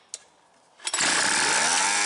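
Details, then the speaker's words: Homelite 26B Mighty Lite two-stroke leaf blower, a garage-sale find, just fitted with a new carburetor: a sharp start, then a high, buzzy, slightly screamy steady run. The owner suspects it is running a little lean. "runs pretty good I'm gonna get my pac-man a carp adjusting screwdriver and see if we can tweak you can get a little more rpms out of it it sounds like it's running just a little lean"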